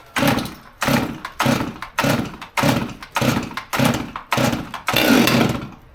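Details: Stihl MS200T top-handle chainsaw that previously wouldn't rev up properly, started on choke after a fuel line replacement: revs up and drops back in even bursts about once a second, picking up cleanly each time, so it now runs right.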